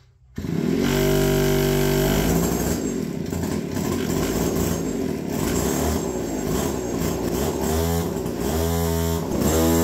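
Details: APC mini chopper two-stroke fires straight away on the electric starter after battery-swap wiring work, then a buzzy rasp rises and falls with throttle blips; starts and runs normally.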